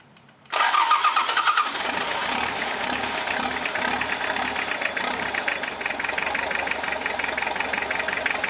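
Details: Mazda B3000 turbo build, first start after fuel delivery problems: starter catches within a second, brief flare, then steady even running with no misses or knocks.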